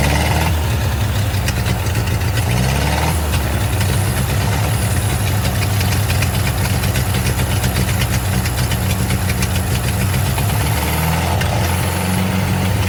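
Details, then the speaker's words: Ford 8N tractor after sitting over five years, engine freed and top end cleaned: throttle shaft snapped and left about halfway open, so the old four-cylinder runs fast and ragged, speed hunting and never settling; choking it didn't regulate it. "uh-oh well i tried to uh kind of regulate that with the choke but that didn't work very well obviously"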